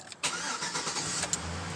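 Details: 2006 Chevy Silverado 5.3 LS V8 after PCV valve cover fix for oil burning and new oil pressure sender: quick start into a steady, even idle, no knocks, oil pressure now reading 60 psi.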